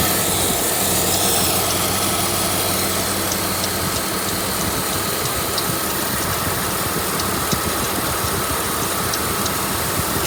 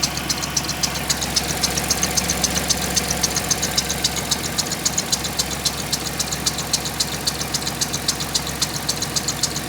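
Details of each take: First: 1996 Dodge Grand Caravan engine with a rough, uneven idle and a constant airy hiss riding over it; a large intake leak. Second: 1996 Grand Caravan after leak repairs, freshly started on old gas: idle drops from over 1000 rpm to an even, smoother idle with light regular ticking about four per second; intake noise noted, healthy sound.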